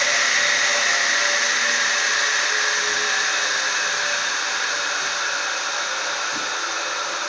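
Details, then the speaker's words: Circular saw with a soft-start economy mode, switched to full power: a steady, high-pitched motor whir at constant speed with no bogging or dips in pitch; it runs strong and no longer stalls. "Rá tudom itt is kapcsolni teljes teljesítményre. Így már nem fog lefulladni."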